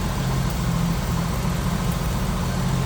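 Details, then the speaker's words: 1986 Jeep CJ7 4x4 with an inline six, HEI ignition, newer plugs and wires and a new radiator: a steady, even low rumble at idle with no knocks, misses or ticks; running smooth and healthy. "Flat black. Sounds good, looks good underneath there."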